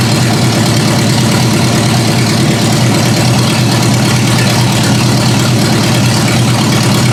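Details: Ford Granada with a carbureted engine, first run after repairs: steady, even idle with a low, smooth rumble and no misses or stumbles, holding idle on its own after the idle speed was raised and the mixture screws backed out.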